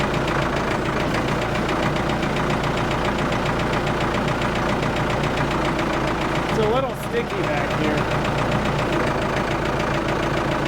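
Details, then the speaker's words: Abandoned Ford 655A backhoe diesel after revival, idling while hydraulics load it slightly: steady even clatter, no knocks or misses; engine sounds good, minimal blow-by, healthy. "so the engine sounds good I'm not worried about that at all"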